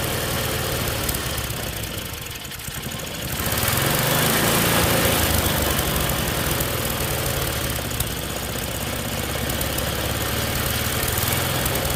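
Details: Tecumseh snowblower engine after carburetor clean: roars at a steady high speed that never settles, governor linkage hooked in the wrong carb hole; over-revving from misconnected governor linkage.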